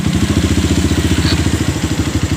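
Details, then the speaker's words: Honda CRF fuel-injected motorcycle that dies after about 15 minutes when the tank is low, recorded with low fuel: fast idle thumping that rises and falls; suspected clogged fuel pump not holding pressure, to be cleaned; idle surging from low fuel pressure. "Jadi saya udah curiga dari awal, ini dari full pumpnya tuh macet ya, naik turun, langsamnya aja naik turun."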